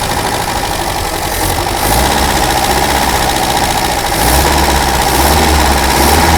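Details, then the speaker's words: Daihatsu F20 4x4 started for the first time in years. Cold engine on a little choke: even, slightly fast idle with a steady low throb and regular firing; runs smoothly until warm. Ignition timing noted as slightly out. "that's got her a little bit of Choke till she warms up"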